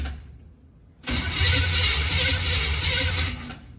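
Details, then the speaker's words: 1951 GMC COE truck engine, first crank after sitting unknown time, fuel reaching it: starter churns about three times a second without catching; spark check shows no spark, suspected distributor issue; cranks but no start, no spark. "Okay, I checked for spark. We have no spark."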